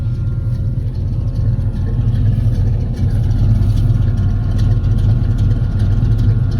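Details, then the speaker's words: Chevrolet Caprice project with a deep rumbling idle: a loud, thin, steady high whine from a replacement high-flow electric fuel pump sits above the engine and does not change with it; owner considers switching to a mechanical pump. "I mean I know y'all can hear that loud fuel pump I put another fuel pump in there"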